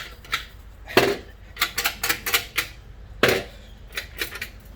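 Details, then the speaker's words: 2019 Vortech-supercharged Mustang, removed stock resonator shaken by hand; irregular tinny metallic clatter from the internal baffles, destroyed by the decel pops of a burble tune. "so whatever baffle system whatever is inside that guy the d-cell popping pretty much destroyed it"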